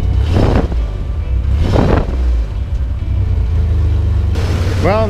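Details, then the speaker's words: 1994 Chevrolet S10 Blazer 4.3L V6 just after intake tuning valve and MAP sensor cleaning and Seafoam/carb cleaner in the intake: steady low rumble, even idle, no misfire or knock; now running well. "that it was running bad before, but it seems like it's running pretty well now after doing all that."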